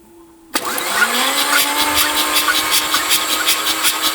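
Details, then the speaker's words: Mazda RX7 FC, stock rotary engine, sat 10+ years, first cranking with spark plugs out: starter whirring with even puffs about four a second, each equally strong; consistent compression across rotor faces, healthy. "So, but this is pretty consistent. That's pretty consistent and it's a nice kind of pulse out of it."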